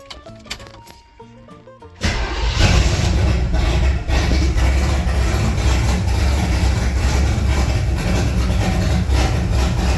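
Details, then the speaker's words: Small-block Chevy 355 V8 in a 3rd-gen Firebird at idle after tightening loose Y-pipe-to-header bolts on the passenger side; steady, deep, even idle with no exhaust rushing, leak much improved; normal idle. "did sounds a lot better to me it was terrible right over here you could just hear it rushing out"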